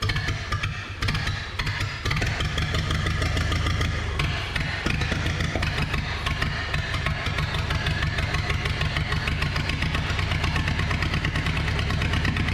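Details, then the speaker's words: Barn-find 1930/31 Ford Model A coupe, unused since 1964, first run after setting ignition timing, choke on, carburetor leaking, no coolant: an uneven, lumpy idle with missed beats. It runs but poorly; flooding is doubted. "well it runs not great can't imagine it's flooding with all the weaking that's going on in the carburetor but uh she's alive nonetheless"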